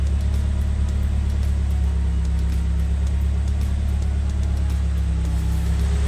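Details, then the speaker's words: Nissan S14 Silvia with a freshly built SR20DE+T on first start: low, uneven, slightly lumpy idle rumble that never settles smoothly. Ignition timing still needs setting, the check engine light is flashing, and vacuum reads -16 to -17. "sounds good so far it's not a great Idol doesn't seem to be popping any smoke over the back"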